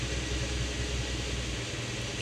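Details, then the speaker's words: Toyota RAV4 after a good spare fitted on cylinder one: even, smooth idle with the lights on, no shaking, zero misfire counts, no codes, no longer stalling. "exactly idling very good and turn the lights on here I don't feel any shaking at all"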